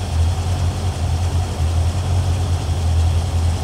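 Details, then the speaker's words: 1981 Corvette V8 started after a water pump job, a second valve adjustment and an antifreeze refill: deep, steady, smooth idle with no ticking or knocking. "Let's start her up and see what happens. It sounds good right now."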